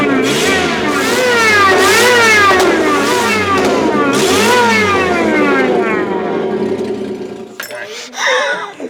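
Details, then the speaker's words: Daihatsu Midget tiny truck, exhaust disconnected at header before connecting a cheap Temu supercharger: very loud raw crackly roar swooping with throttle blips, dropping to idle; open header exhaust roar. "we've disconnected the exhaust and I wanted to hear it before I put the supercharger lines into the actual motor just to get an idea of what it's going to sound like"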